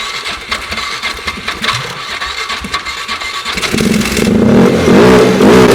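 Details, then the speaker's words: 2008 Polaris Ranger 500 UTV: scattered clatter, then the engine catches and runs loud and unsteady, surging rather than settling to a smooth idle. Owner suspects bad fuel or a bad fuel pump, unconfirmed. "Let's turn over on our own now. That's a plus. Doesn't exactly sound good."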